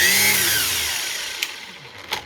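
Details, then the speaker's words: Milwaukee Fuel cordless string trimmer, 6 Ah battery, run at speed with gear hum audible: high whirring that winds down quickly and evenly to silence; normal motor run with the electric brake stopping it fast. "it's kind of neat because you can hear all the gears and everything else running in there you hear that humming"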